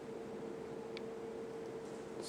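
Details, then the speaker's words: 52" Emerson Premium ceiling fan, verde green, K55 motor, on high speed: strong airy rush with thin constant whistle underneath, hardly audible and drowned by fan wind noise; good spin-down, bearings good; faint whistle otherwise solid running. "now it really cranks out a lot of air now if you listen closely you'll hear a little whistling sound but I can easily be drowned out with the wind noise of the fan"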